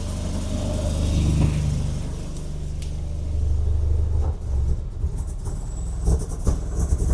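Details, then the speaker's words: 1987 VW Golf Mk1 Turbo GTI first running after a fuel pump swap: deep uneven rumble with chuffing pulses that swell with revs; massive leak heard behind the turbo, manifold or something loose suspected. "Oh! Still sounds it's got an air leak, but we got running. It's running. Sounds like there's a freaking leak somewhere though."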